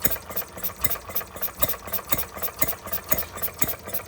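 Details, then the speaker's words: Stirling Kits Retrol G16 model stationary gas engine on first start after clearing a flooded plug: slow, even single firing chuffs, several per second, with light mechanical clatter; running steadily like an old stationary engine. "It even sounds like a stationary engine. It even sounds like a proper stationary engine. The old ones."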